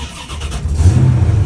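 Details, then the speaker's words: 1991 Caprice with a 1995 Impala LT1 V8, cloned to an Oldsmobile Delta 88, at start-up: short crank, then it catches at once and settles into a deep, even rumble. Normal start. "We're gonna do a video startup of the 91 Caprice with the 95 Impala motor cloned to an Oldsmobile Delta 88."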